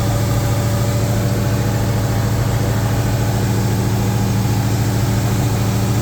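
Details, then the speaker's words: 2003 SVT Cobra with a new forged engine, restarted and warming up with excellent oil pressure: steady, even, whisper-quiet idle with no tapping or ticking; normal idle. "Whisper quiet so far. Man, that is night and day compared to the last startup."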